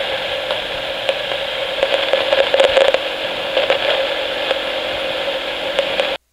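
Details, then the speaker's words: 1961-era Lafayette RK-120 battery reel-to-reel portable tape recorder (DC bias) on playback: constant hiss with random crackles and pops. A noisy germanium transistor in the amplifier is suspected. "may have heard the random kind of static noise that was generated from the amplifier. That is a specific kind of static noise that seems to be the telltale signs of a noisy germanium transistor."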